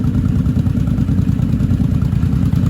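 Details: Vintage motorcycle (one of a Yamaha Maxim, Honda Shadow, Honda V45 Sabre 750 or V65 Sabre 1100) on a new Pirate battery, earlier draining blamed on a bad battery: quick, even low putter with light mechanical clatter, steady revs; normal healthy idle.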